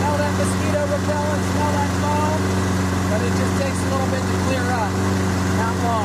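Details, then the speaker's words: Toro Recycler 22-inch push mower, Briggs & Stratton 190cc, after an AMSOIL Power Foam carburetor cleaning: steady, even single-cylinder drone with no misses or knocks; smoke cleared, running smoothly. "Alright, so I'm pretty happy. All the smoke is dissipated. I'm pretty confident we got it all burned off out of there."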